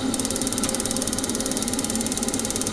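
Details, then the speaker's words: Vaillant Turbomax boiler showing F28 fault, gas confirmed at supply, cover off: fast even igniter ticking with no burner ignition; gas valve sticking shut, fires up after tapping it. "Okay, so we've got a good spark there. We've just got no gas."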